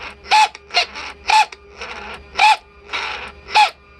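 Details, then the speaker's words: Mercedes S600 W140 older-style throttle body with metal gears, bench tested on a 129-chassis control module: short, rough, gritty buzzing bursts about once a second as the motor sweeps. The noise stops when the unit is tilted sideways. "as you hear it very nasty sound"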